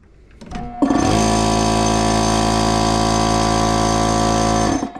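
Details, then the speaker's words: Air compressor on a newly wired shop circuit fed from a 50 A house supply: the motor labours briefly before catching, then a steady deep hum with fast rhythmic pumping. It hesitates on start, and the owner suspects a tired compressor motor. "hesitated a little bit there but I think this thing might also be getting a little tired so let's try it again here"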